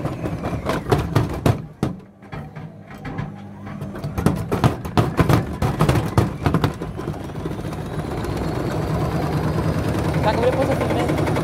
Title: Indesit mega unbalanced jumping